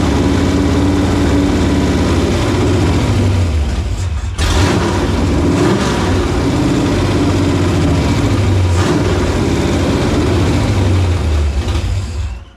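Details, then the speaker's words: Supercharged Fox-body Mustang convertible with a rebuilt carburetor. It starts only on choke and idles unevenly, hunting and stumbling. Owner concludes the carburetor is at fault and suspects a plugged mid-range circuit. "so I think we've determined it's the carburetor starts with the choke but there's got to be something plugged in the mid-range"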